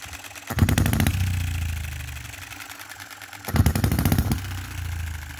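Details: 2022 Enjomor Chinese hit-and-miss engine after fixes (spare piston ring, corrected valve timing, leaded governor weights, added spring and adjustable stop for quicker latching): short sharp firing bursts about every three seconds, quiet coasting, no rev-up before latching; normal latching.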